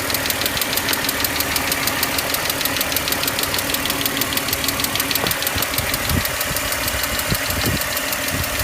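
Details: BMW E39 530i petrol six at idle: sharp quick ticking over the engine note, about three ticks a second.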